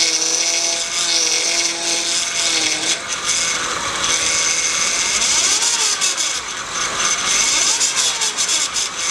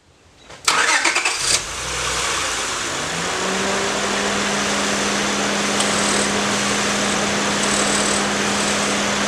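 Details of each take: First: Honda power steering pump, roughly 2002 onward: loud whine that changes pitch as the wheel turns, vibration felt at the pump. Cause is a deteriorated O-ring on the pump inlet hose letting air in; pump may also be damaged. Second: Honda with power steering noise, after replacing the failed inlet hose O-ring and refilling with Honda fluid; engine cranks, catches and idles smoothly with only faint fan hum, no pump whine; normal power steering.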